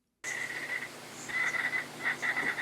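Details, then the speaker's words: Studio monitor setup with a USB-powered audio interface: low hum under irregular high-pitched chirps and warbles, computer noise leaking through a USB ground loop that the iFi iDefender+ USB 3.0 ground loop breaker will most likely cure. "then the idefender will most likely cure the problem"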